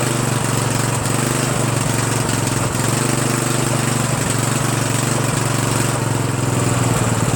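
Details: Murray 14.5 42" Widebody LT lawn tractor single-cylinder engine after muffler refit, carburetor adjustment and choke linkage cleaning: loud steady drone at even speed, no misses or surging; normal running.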